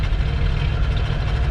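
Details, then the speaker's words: Ford 302 V8 truck, formerly seized, after intake manifold repair and new plugs, wires, cap and rotor; it had run on the wrong firing order. Warming up: deep, steady, smooth idle, vacuum about 15–16 after tuning. Normal idle. "but before it sounded like 18 vacuum lines are unplugged up I sound like crap we'll let her warm up and then we'll check it out there good bit of tuning I've got it around 15 to 16. vacuuming whatever thank you for lacking it's running pretty smooth"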